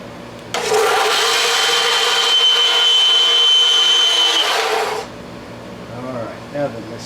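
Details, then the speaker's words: Craftsman belt sander from an estate sale, after the idler pulley was repaired and the belt tracking adjusted: a loud, steady, high whir with a hissy scraping edge as something touches the small disc; cause unknown. "well that's in the middle I don't know why it's making that noise but something's touching the little disc"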